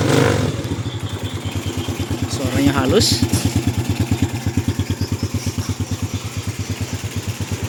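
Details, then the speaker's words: Used small motorcycle for sale, starter weak, owner suspects the battery: small single ticking over with an even, steady putter about three beats a second, no knocks or misses; smooth, sound idle. "Tapi kalau untuk mesin halus ya entar ya lah lah lah."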